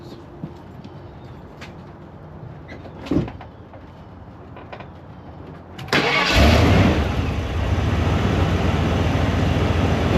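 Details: Ford OBS Bronco 302 5.0 V8 after EGR replacement for a check engine light: quiet, then the starter cranks, it fires, flares up and settles into a smooth steady idle; running normally.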